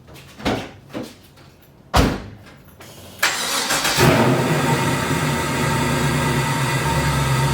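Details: 1994 BMW 325is E36 with LS1 swap, newly installed T56 transmission, straight-pipe exhaust, on stands, first start in a couple of weeks: a few clunks, instant catch, steady even idle with no knocks or misses. Normal start and idle.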